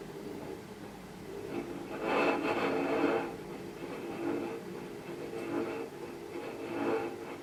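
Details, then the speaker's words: 2006 LG WM14225FD direct-drive washing machine, 11 years old with a slightly worn drum bearing: quiet scraping rattle swelling in bursts as the drum tumbles, noisier than it used to be; owner suspects the paddles rattling. "that sounds a little bit noisier than it used to I think that's the paddles rattling"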